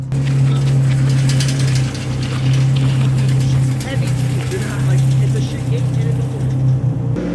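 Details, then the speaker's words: Honda race build: loud low drivetrain drone under load with a steady gear whine from the straight-cut gearbox; normal for straight-cut gears, nothing wrong. "This car is so raw. Yeah. Can you hear Did you hear the transmissions? The Yeah. Yeah. Straight cut the gears."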